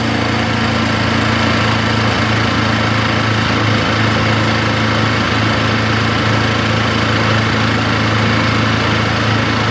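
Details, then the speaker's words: Brinkley 3950 RV onboard RVMP 5500 generator after an oil change, running on propane before gas conversion: steady, even drone at constant speed with no misses, knocks or surging; runs healthy and takes load fine. "She's running good. Okay, I just ran it for a few minutes. Everything sounds good."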